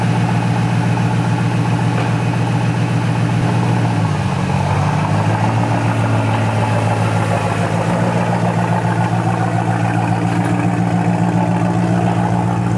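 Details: 1993 BMW 740i, M60B40 V8, first start after standing all winter with a new battery: loud open-piped idle, smooth and even with one brief dip before settling; started right up, normal idle.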